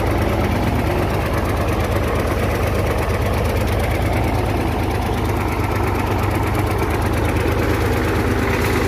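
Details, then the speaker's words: Hino J08C diesel truck engine that overheated, running rough with heavy uneven knocking about three per second and high back compression; injector pipes loosened to isolate cylinders one and two, knock from seized pistons. "The sound is coming from 1 number cylinder and 2 number cylinder and back compression also i will get you checked"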